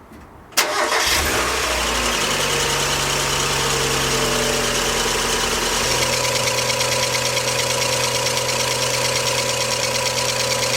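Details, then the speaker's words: Mazda MX5 at startup: thin, high whir over the idle from a damaged auxiliary belt that drives the power steering pump and A/C compressor. Something on the belt drive locked up, and the belt survived but is worn, awaiting replacement. "But yeah, the belt is not in a good way at all, as I shall now demonstrate when I start up the car."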